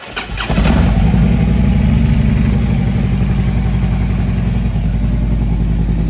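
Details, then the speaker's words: Harley-Davidson V-twin idling in gear lopes with a heavy, uneven low thumping and chain drone; the auto primary chain tensioner has overtightened the primary chain, loading the compensator-to-clutch driveline. "Alright, so this is the culprit. It's just too tight."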